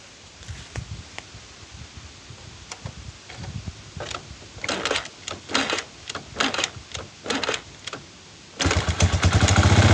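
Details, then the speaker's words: Chinese 110–125cc kick-start motorcycle engine with iron cylinder, after fitting a fixed-timing, no-advance 5-wire AC CDI: a few kicks, then fires promptly and settles into an even, steady idle; hard starting and poor idle cured by CDI swap. "bueno como pueden ver ya arrancó mucho más fácil y la moderación ya cambió un montón ahora puede moderar bien la moto"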